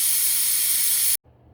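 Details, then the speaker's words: Air compressor that stalled when restarting against tank pressure, fitted with a new motor: a steady loud hiss of escaping air that cuts off abruptly; the check/unloading valve leaks constantly, likely debris, and needs replacing. "uh now it's leaking all the time so at any rate I need to replace that check valve or unloading valve if you will"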